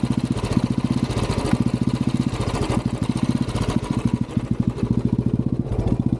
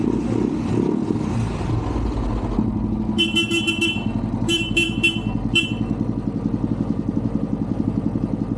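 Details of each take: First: Royal Enfield Classic 350 BS6 riding: single-cylinder thump runs unevenly, beats dropping out and surging back, jerking and pulling by itself in gear, stalling and hard starting; misfire and surging traced to low battery voltage. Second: Royal Enfield Classic 350 BS6 at the service agency: even single-cylinder thump at steady idle, a few horn toots over it; normal clean idle.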